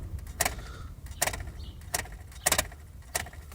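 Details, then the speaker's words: Lada Priora 2: sharp, hollow plastic knocks, about five in four seconds, from a loose alarm module or control unit behind the dash side panel near the glovebox; always heard over bumps. "от сигнализации, либо мозг, может вот такой вот такой звук. На кочках всегда слышно."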